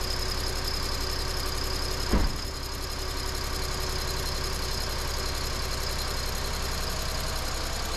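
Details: Chevy Equinox after both head gaskets were replaced and coolant refilled, with the mic on top of the hood: the engine catches at about two seconds and settles into a steady, even idle with no knocking or misfire.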